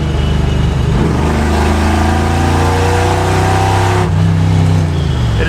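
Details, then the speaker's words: 1981 Chevrolet Malibu wagon, 350 swap, four-speed, on a drive after sitting for months: deep, loud, raspy V8 drone swelling as it pulls, no muffling, after the exhaust fell off, leaving open headers. "oh here comes a train track no it's way louder now the exhaust just fell"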